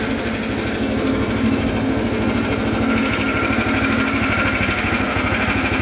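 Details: Vintage DR Field and Brush Mower repowered with a new Harbor Freight engine, on its first run at low ("turtle") throttle with the choke off after starting. It has a steady, even single-cylinder beat with no misses, knocks or surging; running smoothly.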